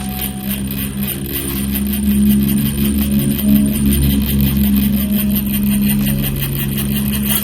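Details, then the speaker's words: 1:10 SCX10-clone Rubicon RC crawler, 313mm wheelbase, throttle applied: buzzing drivetrain whine pulsing as the wobbly gearbox spur gear meshes loose-tight with the pinion; noisy gear mesh. "Ini lumayan gearboxnya itu lumayan goyang-goyang. Jadi suaranya berisik. Nih sepurnya goyang-goyang, Guys."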